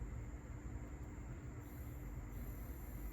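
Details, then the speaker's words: Sony TC-KA3ES cassette deck after lubricating the front bearings of its screaming motors: only a faint low hum with a thin steady tone in both tape directions, no squeal or grind; normal quiet running. "Do you hear it? Almost nothing. In both directions."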